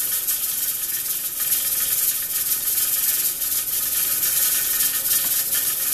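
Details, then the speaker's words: Pressure cooker on stove dyeing puzzle parts, burner at 6: steady hiss with fast irregular weight rattle; venting because heat is a bit too high, turned down to 4 to avoid water loss. "So that's what it looks like and sounds like when the temperature is a little bit too high and it's venting."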